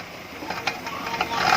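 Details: Proton Saga FLX under load with steering turned: sharp irregular clicks, several a second, louder as the wheel turns, absent straight; noise at the right-side wheel, bearing or driveshaft suspected.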